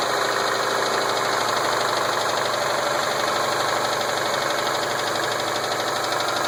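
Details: 2007 Subaru Impreza WRX STi boxer idling with an uneven knock, about two to three per second, over a busy top end; rod knock suspected but unconfirmed. Engine has Wiseco forged pistons, ACL race bearings, ARP head studs.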